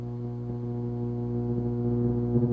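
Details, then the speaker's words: About 10 V of hum ripple on a roughly 240–250 V supply, read on the oscilloscope, gives a steady low buzzy drone through the amp; an old filter cap is present and the owner suspects the power supply, which needs better filtering. "it's sitting around now instead of the uh the hum being in the probably almost double triple that we're in the 10 volt range so we're talking it's about 10 volts of hum"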